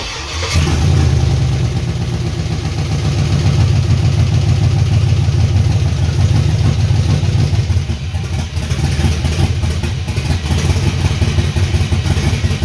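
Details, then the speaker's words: LS-swapped 1979 Ford F-150 dump truck after compression testing (180 psi): starts and runs with an uneven, lumpy, stumbling beat instead of a smooth V8 idle because an ignition coil was left unplugged, killing half the cylinders; misfire. "Interesting enough, I forgot to plug this coil back in. So that was half the cylinders."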